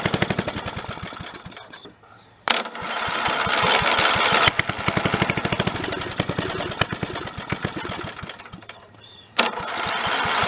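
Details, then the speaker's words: Snapper 30083 mower abandoned in the woods 20 to 25 years, after swapping in a junkyard Magnetron ignition unit: single-cylinder engine chugs at a fast, steady beat with a couple of brief dips, running for the first time in 20 to 25 years; normal running. "so again that's probably the first time in 20 to 25 years since that thing's run"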